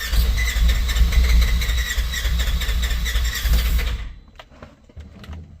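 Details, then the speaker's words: General XP fuel-injected, unused for three months, cold start; about four seconds of steady starter cranking that never catches, battery weakening; it later started once brake pressed hard. "Now you got fuel injection. You shouldn't have to get a throttle, but Come on. Now I'm losing battery."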